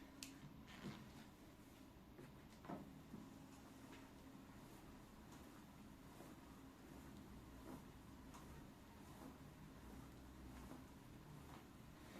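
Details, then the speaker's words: Svensson Body Labs Comfortline ENA elliptical trainer after fix: quiet, even pedalling with faint soft thumps and no squeak. The squeak came from the left pedal rubbing the plastic cover, fixed by loosening four bolts and raising the cover. "никаких посторонних шумов"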